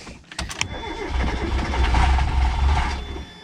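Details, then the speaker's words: Mazda Miata that sat a long time, started on starting spray to check for rod knock: cranks, catches and revs raggedly about two seconds then fades; rough running, owner suspects clogged fuel filter or low rail pressure, not confirmed. "That sounds terrible. No, that sounds savable."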